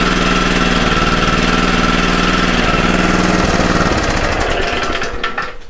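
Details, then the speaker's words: Commercial Toro mower with clutch, under repair for an oil leak, refilled with oil and idling for inspection: steady even firing about four beats a second, no knocking, then winds down and stops. Normal running. "the beginning i think was idle just because i want to look at it real quick to make sure everything is okay"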